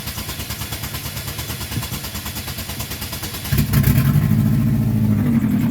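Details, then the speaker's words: 2006 Saturn Ion 3, exhaust flex pipe blown out on the side, temporary JB Weld and aluminum tape repair not holding: steady cranking, then loud, raspy running with a puffing blat from the exhaust leak at the flex pipe. "Hear that? That's loud. Yeah, that thing's loud. Dang, man. That's why I gotta get it fixed, so we're gonna work on that right now."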